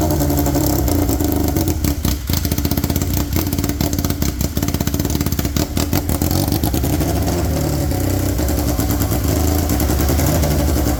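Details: Polaris RZR XP with swapped Yamaha Nytro triple, straight-piped, restarted after clutch setup: loud raspy revving dropping back to a wandering unsteady idle; owner thinks idle speed needs setting.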